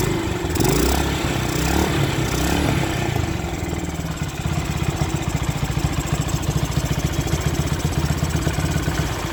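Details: Honda Sonic 125 revs then settles to a steady, quick, even idle with no misses after fuel line replaced and extra fuel filter added, following a no-start three days after repair with new plug and carburetor; part left off to check for flooding.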